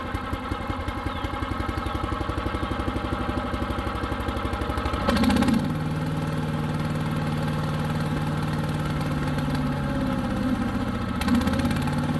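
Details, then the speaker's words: New Harbor Freight Predator 212 chipper shredder with fresh oil, run about 10 minutes, choke about 3/4 on: engine putters quickly then settles into an even drone; only runs on choke. "get this thing started up and show you what it's doing as far as running on choke"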